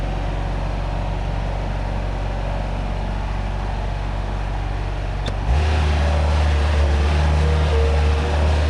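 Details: Bobcat 873 diesel skid steer after cleaning debris and extra pickup tubes from the fuel tank (old fuel filter kept), which had caused stalling: steady clatter settling into an even, firmer drone with no stumbling or dying; normal running.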